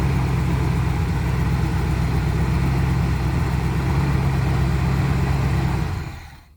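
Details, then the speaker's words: 1985 Winnebago, 454 big-block V8, 32,700 miles, sat nearly 17 years: low labored cranking about 3.5 beats a second then dies away, slow cranking; old starter cables suspected, not confirmed. "yeah maybe it is in cables old cables going to the starter because you got enough power seem yeah yeah as soon as it got enough power to wing over"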